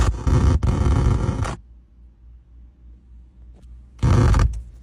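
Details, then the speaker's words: Ford vehicle: two loud harsh bursts of creaking, scraping noise about a second each with quiet engine between; abnormal noise of unknown source. "Something about this noise is seriously weird, and I want to know if anyone can actually identify what's causing it. It doesn't sound like a normal engine or road noise, and the fact that it's coming from the vehicle at all makes it worth paying attention to."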